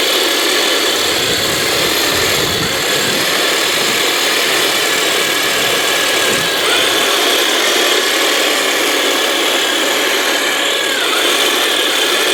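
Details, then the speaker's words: 1/16 scale RC Heng Long M4A3E2(76) Jumbo Sherman tank, test run after its stripped metal upgraded gearbox was replaced: steady, even high whir with no clicks, skips or grinding, the drive motor and replacement gearbox turning smoothly in cold conditions. "Well, as you can see, the model performed extremely well in these conditions, and if it wasn't for the fact that I am really cold right now, I would be able to take the tank on a longer test run."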